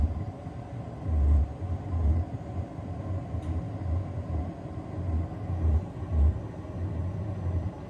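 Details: Vevor diesel heater just turned up to setting 4 and igniting, with smoking: low, uneven growling rumble with throbbing surges about every second. Cause unconfirmed; owner suspects spilled fuel or oil under the tank; it quieted as it got hotter.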